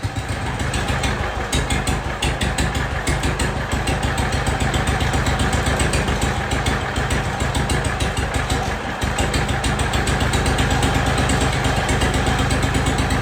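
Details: Jacobsen Chief 1200 tractor, cast-iron Kohler 301 single, after sitting about 3 years; idle raised and aftermarket Chinese carburetor adjusted. Steady, even low single-cylinder thump with no misses or stumbles. No smoke; normal idle, runs good.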